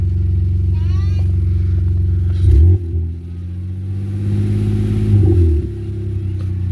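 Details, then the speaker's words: BMW E46 325xi after alternator replacement: engine idles smoothly and picks up cleanly on two quick revs with no knock returning; charging holds about 14.0–14.1 V, runs healthy. "we just want to let it run just to see if the knock sound comes back all right excuse the car right now seems to be good"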